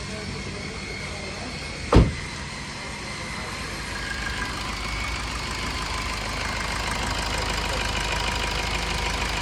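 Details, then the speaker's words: Maruti Swift VDI diesel at about 60,000–69,000 km, just after full service: self-started, one sharp knock then a steady even idle with no knocking or misfire; normal. "तर service झाल्यानंतर आपण self मारून गाडी चालू करतोय. तर गाडी आपली सेल्फला चालू झाली."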